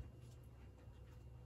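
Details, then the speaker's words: 52-inch GE AirCool Vent ceiling fan, all original, on medium speed: soft, steady low motor hum with no ticking, wobble or rubbing; a faint buzz is thought to come from a light bulb, not the motor. Normal running. "but it is pretty quiet very slight humming and i think the buzzing part sound might be one of the light bulbs because the buzzing sound is obviously not the motor but the humming is there"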